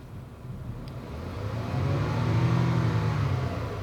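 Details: Jeep Wrangler off-road build, after swapping coils one and five: engine revs from idle with a slightly uneven stumbling beat; cylinder one misfire count keeps climbing while five shows none, so the coil is ruled out.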